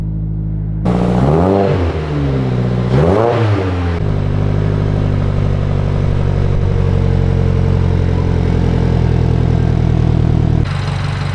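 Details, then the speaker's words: 2022-2024 Subaru VB WRX just after installing a Cerakoted Perrin equal-length header, run with one header bolt missing: engine fires, blips and settles to a smooth, even idle with a low burble, oil smoke burning off, no exhaust leak heard; normal startup and rev. "what I was concerned about was a potential exhaust leak around that since I don't have the third bolt on there I don't hear any exhaust leak so we're good"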